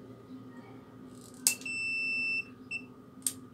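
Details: Angle grinder that would not switch on, multimeter continuity test on the power switch: a clean, steady high beep lasting nearly a second with faint clicks, showing continuity on that side of the switch, so that contact is good.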